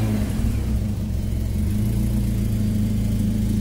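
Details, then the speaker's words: Suzuki SJ410 after installing dual fuel pumps, high-pressure pump fed by 10 mm line direct from jerrycan: steady low rumble, even drone, no surging or pump whine; no longer cavitating, running normally. "dan caviteit hy ook nie nou nie. Ja, hy caviteit nie nou nie."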